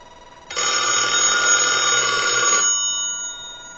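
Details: Allen commercial telephone after board repair, previously would not hang up or ring, tested on a line analyzer: one clean bright ring burst about two seconds, stops sharply; ringer working.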